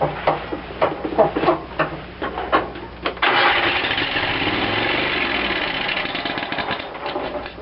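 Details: Cub Cadet lawn tractor after carburetor rebuild, primed with gas: starter grinds in uneven bursts for about three seconds before the engine catches and settles; slow start from fuel starvation, new manual fuel shutoff left closed.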